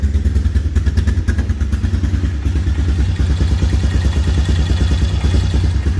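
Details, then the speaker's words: 2000 Honda TRX Recon 250 ATV after fitting OEM carburetor and correcting misrouted hoses: fires right up, low even single-cylinder idle, no pinging or knocking; healthy engine. "So fires right up now. Put the fuel on. Nice and quiet. No pinging, no knocking, nothing. Can't even hear that engine running. It's so quiet."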